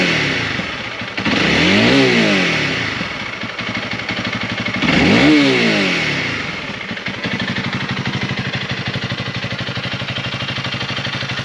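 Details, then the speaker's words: Honda CRF300L after rubber grommets were added to the Yamamoto skid plate, which stopped a vibration that appeared only in one rev range: two clean throttle blips rise and fall back to an even idle with no rattle near the top; it sounds much better. "so yeah sounds a lot better i really was worried i wasn't sure what that was it's kind of weird that it was only uh vibrating at that rev range and not the whole thing"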